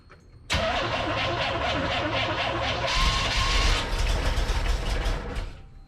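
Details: Corvette with carburetor, on jump pack after dead battery, fuel pressure gauge fitted in line: steady starter cranking about four pulses a second for five seconds, never catches; cranks but won't start, owner suspects carburetor fueling issue.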